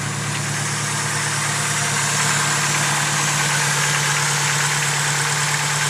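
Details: Rebuilt engine, fully built, developed this within a few months: a quick, fairly even light valvetrain-like tick about three per second over the hum at idle; the owner suspects lifter tick, unconfirmed.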